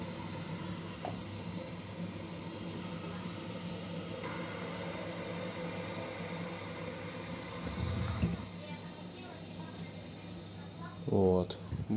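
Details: Gas boiler running with a steady hiss over a low hum and poor water heating, from scale buildup in the heat exchanger, before flushing it with citric acid.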